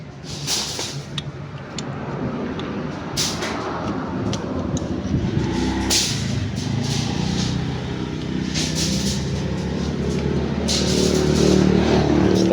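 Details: Yamaha NMAX Turbo scooter, idling after the YECVT socket was refitted (CVT lamp now off, MIL still lit): a few handling clicks, then a steady, even idle with no misfire; runs normally.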